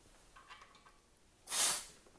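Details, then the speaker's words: Bikemate floor pump with Presta/Schrader/Dunlop head, attached to a bike tire valve; one loud half-second burst of hissing air as the head snaps on; air leaking at the poorly sealing pump head. ", at least for this video, I'm letting out large belches of air putting this onto the bike."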